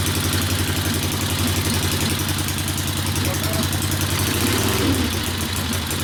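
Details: 1964 Harley XL 900 Ironhead Sportster, custom distributor suspected: uneven, lumpy idle with hollow popping and skipped firing pulses; one exhaust pipe stays cool, running on one cylinder, misfire.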